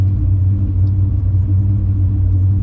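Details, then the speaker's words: Truck idling after exhaust manifold work, temperature slowly climbing; problems start as it warms up: deep idle rumble with slightly uneven pulsing beat, not settling smoothly; rough idle, cause unknown, still not running right. "okay gang we are in the truck it is running it is idling right now it wasn't idling very well yesterday and it's starting to warm up and that's when it starts having the problems when it starts to warm up"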